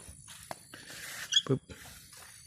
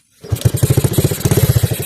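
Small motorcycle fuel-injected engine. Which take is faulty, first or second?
second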